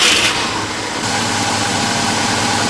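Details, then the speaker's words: Eight-cylinder points-ignition engine idling after distributor points dwell reset to 27–28° (spec 26–31°): even, settled idle with steady beat, no stumble or miss; sounds much better after adjustment. "I can tell you right now it just sounds way better"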